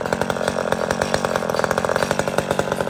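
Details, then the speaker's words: Chainsaw at full revs: thin, high, flat screaming pitch with no burble, running too lean and at risk of engine damage; carburetor mixture needs richening. "okay that's too lean that's too lean friends this is how guys blow their Max up or any saw fatten it back"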